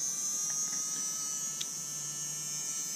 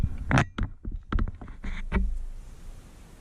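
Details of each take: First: Bosch Ixo cordless screwdriver bought not working, with its motor powered directly after a jam freed: it spins up and holds a smooth, even high buzz with no catching. It later squeaks again on the original connections. Normal motor run. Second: Bosch IXO 3 cordless screwdriver under repair, powered by shorting the switch terminals; short, high, thin squeal bursts with the motor not turning. The motor is stalled by a jam and spins once fed directly.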